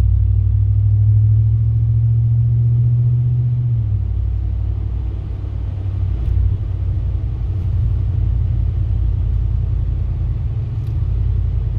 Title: grinding sound in my truck